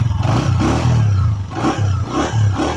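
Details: Honda CG 125, 2022 model, single-cylinder, after the cam and head noise fix. Revs rise and fall with an even, steady beat and no loud top-end clatter. Normal engine running.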